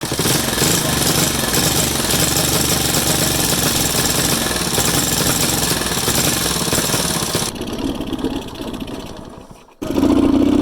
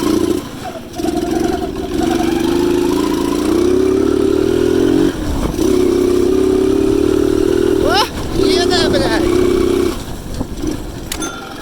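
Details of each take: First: Alpha Delta moped engine chokes, dies, won't gain speed, misfires, smokes, idles poorly, with foreign engine noise; ragged uneven firing, rapping knocks and sputtering drop-off; cylinder found damaged with piece broken off, piston sitting wrong, causing misfire and knock. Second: Delta Alpha moped engine after cylinder replacement. Before, it choked, misfired, lost power, smoked, wouldn't hold idle and had ringing and knocking. Now it runs and revs cleanly with a steady, even note, no knock, no smoke: normal running.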